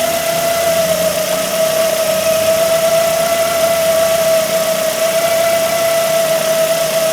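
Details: 2008 Ford Focus 1.8 petrol that lost electrical power and died, idling: piercing steady squeal at one pitch coming from the alternator, which is to be replaced.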